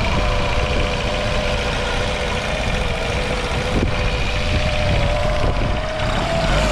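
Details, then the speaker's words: Small outboard motor after an air mixture screw adjustment and removal of a brittle, warped fuel-pump filter thought to be restricting fuel flow: a smooth, steady hum holding speed with no stumbles or surging; normal running. "it wasn't running perfectly good and I also took out this fuel filter that goes right here in the fuel pump I think this one was just too brittle and warped and was restricting fuel flow but I think I got this dialed in now so I'll fire it up"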